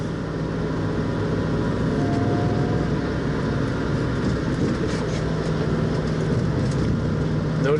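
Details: 1966 Mustang on a speed-bump road, testing for bump steer after reworking the TCP upper control arms with galled rod ends. Steady road and tyre rumble with no knocks or clanks from the front end; the suspension sounds quiet.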